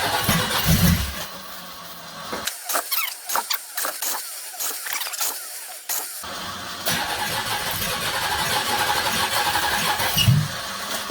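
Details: 1983 Oldsmobile 98, fire-damaged 350 diesel V8: long, uneven starter churning with irregular chugs that never catch cleanly, starter making an unusual noise; hard start after extended cranking, owner suspects exhaust coming up through the intake.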